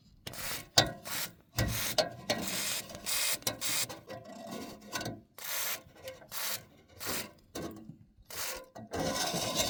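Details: Roof turbine vent turning in the wind: repeated scratchy rubbing bursts from a dry center/top bearing dragging, before spraying WD-40 into it.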